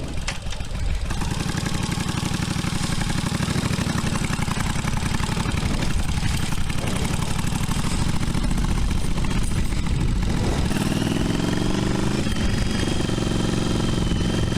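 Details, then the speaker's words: 40-year-old carbureted V-twin motorcycle, running after repeated carb cleaning and part swaps for a float needle that would not seal: a steady, even V-twin beat with a strong low thump and no knocks or misses; running well. "Ooh, she sounds good. Woo! Oh, she sounds good."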